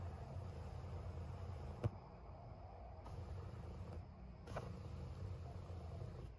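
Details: Early-production Vestax PDX-2000 turntable with known motor issue, before diode/resistor mod; faint low even purr rumble when holding a record with platter spinning, motor vibration through platter.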